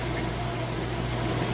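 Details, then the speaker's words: Whirlpool top-load washer moving from rinse into spin: steady low pump hum with water gurgling and rushing out evenly. Normal drain pump operation. "It's draining right now. Hear that drain working, getting all the water out."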